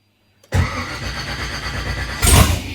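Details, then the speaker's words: LS-swapped (LM4) Nissan 240SX on its first start attempt, 43 psi fuel pressure, oil pressure present, no throttle bracket: steady cranking with even compression pulses, then a brief surge that dies. It nearly fires but won't start; the owner suspects it needs gas. ">> Oh gosh. Oh, it's so close."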